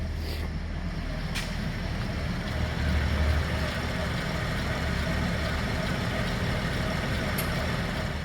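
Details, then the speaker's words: 2010 Chevrolet Traverse idling steadily with A/C on after compressor replacement and oil added; smooth even hum, no knocking or grinding, and the earlier loud compressor noise is gone. "we should be able to start up without hearing a loud noise like we were before from that compressor and she's running"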